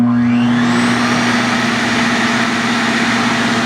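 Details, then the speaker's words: Nearly new roadside-found shop vac, probably brushed motor, hose attached, lowest speed set via a Hoover voltage regulator: steady mid-pitched hum and even airflow rush, almost as loud as an upright, no squeal or rattle; normal running at low speed. "I mean you can hear it it is almost as loud as a regular upright if not a little bit louder maybe"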